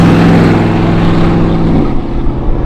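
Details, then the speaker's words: Gen 1 Ford Raptor at 184,000 miles, recorded inside while driving: steady low droning hum under road and engine noise, changing pitch with speed; owner attributes it to the rear end and pinion bearing. "But the other thing that's going on is there's this like squeak noise happening, and right now you don't hear it. Right now you hear the rear end, you hear the pinion bearing."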